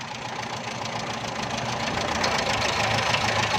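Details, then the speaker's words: Carbureted petrol car, misfiring and jerking, with low fuel pressure: uneven chuffing run with a stumbling beat about three times a second as revs climb; misfire from low fuel pressure. "ये देखें दोस्तों, ये गाड़ी जो कार्बोरेटर में पेट्रोल है उससे स्टार्ट है, लेकिन गाड़ी में इसका प्रेशर सही नहीं आ रहा, जिसकी वजह से गाड़ी मिसिंग भी कर रही है और झटके भी लगा रही है।"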